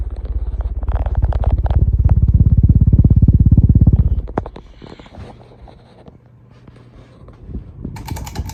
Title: CEC Casablanca Mercury Copy Ceiling Fan | Bad Bearings And Reverse Switch